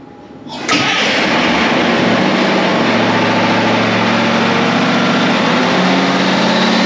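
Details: Caterpillar 3208 diesel after fuel pump installation and bleeding: a brief crank, then it fires within a second and settles to an even, steady rumble. Normal start and idle.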